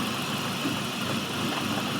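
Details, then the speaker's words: Petrol engine idling with a line removed after the throttle body to create a vacuum leak. A steady, loud airy hiss comes over an uneven idle that won't hold steady. "you can definitely hear that leaf very loud but how many guys have not heard it like that but the car is idling funny right it won't hold an idle this is a vacuum link"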